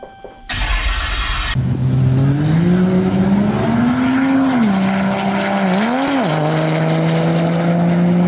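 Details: 1000hp Cummins 6.7 drag race truck build, first start on a new diesel fuel cell: short crank, then it catches, revs up, drops back and settles into a steady clean tone. It fires and runs normally.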